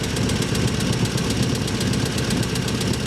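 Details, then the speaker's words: 1949 Chevy engine, rebuilt, sat 20 years, warming up before hot valve lash adjustment; loose, uneven clack about two or three a second over low idle rumble, suspected valve train clatter, not confirmed; clacking at idle. "You can hear that clack clack clack clack. I don't like that."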